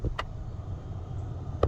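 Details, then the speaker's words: 1994–2001 second-generation Dodge Ram heater blower after blower motor and resistor replacement, tested through speeds 1–4: steady low even whoosh with a couple of switch clicks, no whine, rubbing or wind-down sound; blower problems fixed. "No wind down sound. Sounds like we've got the blower motor problems all taken care of."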